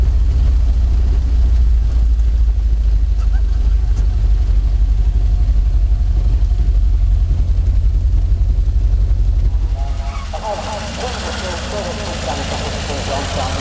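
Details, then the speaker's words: 1952 Fordson E83W pickup's 100E engine, freed after sitting seized since 1982 with two stuck pistons and valves, running after first start in 27 years: steady, even low-pitched tick-over about four beats a second, no knocks or stumbles; normal idle. "All right, leave it a little while. Lives again. What is it, about 20 years? More than that."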